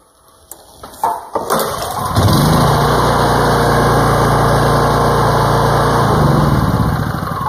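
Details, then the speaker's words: Older Honda generator that previously wouldn't start and showed no spark, now restarted: catches on the pull and settles into a steady, even hum, typical one-pull Honda start; healthy start. "okay so that starts like it's supposed to that's the typical Honda starting procedure one pull and you're good"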